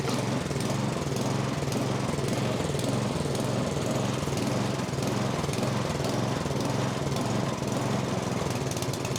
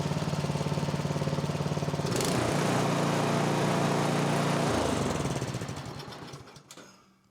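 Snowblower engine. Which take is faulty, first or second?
first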